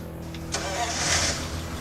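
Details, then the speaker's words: 1935 Ford V8 roadster flathead engine, fire-up after a full rebuild, catches quickly and settles into a smooth, even idle with a steady low beat and no knocks or misses; it sounds like a Swiss timepiece. "Oh, if flatheads were made in Switzerland, I would say it sounds like a Swiss timepiece."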